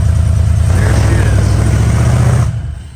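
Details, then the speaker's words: Off-road V8 in neutral after the front air locker rebuild, not yet driven so the ECU is still learning: deep, even roar under throttle, then revs drop away smoothly with no misses or knocks; runs good. "is yeah it's it's just going the ECU is still learning cuz we haven't driven it [Music] yet she sounds amazing SS good heck yeah neutral"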